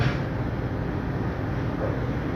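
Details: 5-ton AC outdoor unit after new compressor fitted, discharge pressure near 280–300 and suction about 50: steady, even low hum with no knocks, rattles or surging; compressor running normally.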